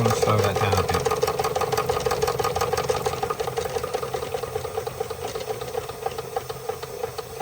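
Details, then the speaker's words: Märklin 16051 twin-cylinder toy steam engine, still running in, just coming up to steam with the pump recirculating: gentle, even chuffing at about three beats a second over a soft steady tone; normal slow "museum speed" running. "I call this museum speed, because if you go to the museums with the full-size engines, none of them are running. None of them are running fast."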